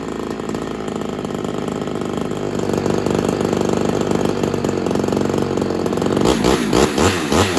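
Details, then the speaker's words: Ported Homelite XL-76 two-stroke chainsaw after fitting better fuel filter: runs high and steady, then about six seconds in note chops and surges unevenly; stumbling from suspected fuel starvation, carb modification or heavier reed suspected. "I don't think that fixed our issue I think we're going to be modifying the carb but just to make sure um I think we're going to be either modifying the carb or having to figure out a heavier Reed"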